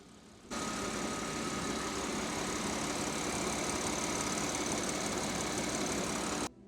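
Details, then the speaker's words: Audi S5 3.0 L supercharged engine after timing chain redo, valve covers smoking (believed burn-off), bad gas in tank; steady, even idle with constant hiss, no knocks or misses; normal idle. "I don't know there's also bad gas in there but overall the car sounds great"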